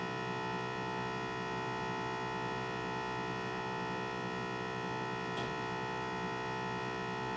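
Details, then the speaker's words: M2 X Series DTG printer filling with ink: a steady, even electric hum at one pitch with no surging or stutter from the pressure pump pressurising the ink bottles, which is normal operation. "all right so i'm going to leave this one off for a moment you hear that pump that's your pressure pump"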